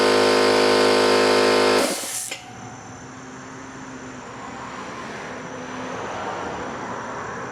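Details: New oil-lubricated Campbell-Hausfeld air compressor, replacing an old Brute with a leaking unloader valve, filling its tank: smooth, steady motor drone under two seconds with no metallic clatter, then it cuts off as tank fill finishes after about three minutes; normal running.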